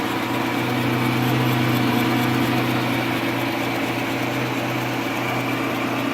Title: Strange noise on lathe C11MB